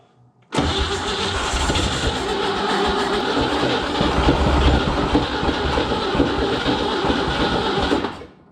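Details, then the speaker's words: Junkyard 1961 Chevrolet Impala, base 235 six-cylinder, first start after about 28 years, good spark, bottle-fed fuel: steady starter churn about seven seconds, never catches; fuel-starved, needs a proper fuel source. "she should have plenty of fuel we gotta hook up a fuel source i just don't have good luck running them off the bottle it's just me see it's gonna go we just don't have enough fuel"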